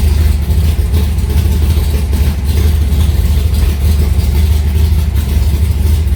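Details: Alumacobra (Cobra replica) V8 cold start after sitting a few months, in garage: deep, loud, steady rumble, even low beat, no knocks or ticks, fires cleanly; normal cold start.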